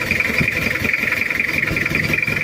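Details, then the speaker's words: Toyota Kijang diesel, cold, glow heater faulty: lumpy, uneven idle with rough repeating clatter and misfire; engine consumes oil badly and compression leaks, due for overhaul. "dan ini adalah suaranya Udah pincang juga ada bubuk"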